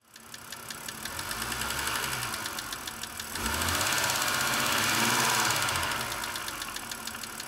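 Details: 2006 BMW 330i (E90, N52 petrol engine) before treatment: a sharp, regular ticking of about 3.5 per second over the running engine, a hydraulic lifter tick. It was later quietened with Lucas heavy-duty oil stabilizer.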